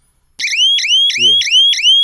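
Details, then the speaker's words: Solar fence energizer (jhatka machine) switched on and charging, buzzer button pressed: loud clean repeating chirp about three per second, each sweeping upward; buzzer working normally. "अभी buzzer को अपन इसका button को दबाएंगे ना तो ये buzzer बजेगा।"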